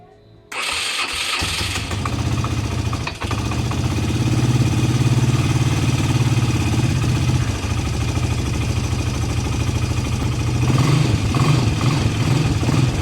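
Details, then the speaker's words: ATV with earlier rustling noise from the CVT variator, restarted after disassembly with the belt found in good shape: steady idle with no rustling or whirring from the drive side; owner suspects a worn bearing caused the old noise. "вот мы сейчас завели послушали реально звуков никаких нету как раньше было"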